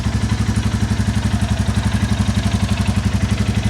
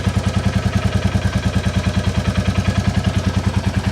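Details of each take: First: 2022 Royal Enfield Classic 350 (stolen and recovered) at idle before valve adjustment: steady single-cylinder thump with light quick top-end tick on each beat, loose valve clearance; a lower-end tap later suspected to be an exhaust joint blow. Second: 2022 Royal Enfield Classic 350 Reborn single after its valve clearances were checked and adjusted: even idle thump at about three beats a second with a faint light tick, a remaining exhaust joint blow; normal idle.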